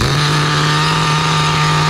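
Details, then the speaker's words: Four-wheel-drive RC nitro car from the early 2000s, after clutch repair (bad clutch spring), wheels lifted; steady, even high-pitched buzz at constant speed, rich exhaust, no cutting out or surging: running normally. "Clutch repair complete. Nice rich exhaust coming out of the pipe. Running good."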